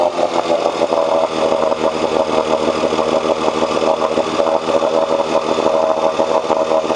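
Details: 1986 Johnson 4 hp Seahorse two-stroke outboard after cleaning water passages for overheating: steady, even buzz with no surging, knocking or stumbling; strong water flow, head temperature down from almost 190 to about 80–120.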